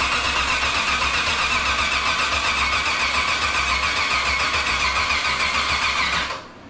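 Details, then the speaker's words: Nissan G35 with VH45 V8 swap: starter churns steadily at about four beats a second for six seconds without catching, slow and laboured; battery suspected dying, with grounding issues later found. "sounds like the battery's dying"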